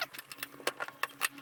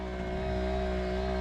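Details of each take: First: 1961 VW Beetle wiper motor after 12 V armature conversion, running noticeably slower and parking correctly, arm may touch ignition: faint steady motor hum under squeaky wiper sweeps and light clicks; normal wiper motor running. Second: 1961 VW Beetle 6 V wiper motor on 12 V system, stopped instead of sweeping: steady even electrical hum with no rhythm, owner unsure why; stalled wiper motor buzzing.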